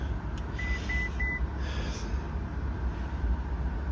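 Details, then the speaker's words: Ferrari California T, engine running: three quick high-pitched beeps over a low hum; ABS system failure warning with recirculation pump and brake light switch codes, ABS fuses fine, wiring suspected after recent rewiring. "let's try and clear these off it comes back ABS system failure there it is"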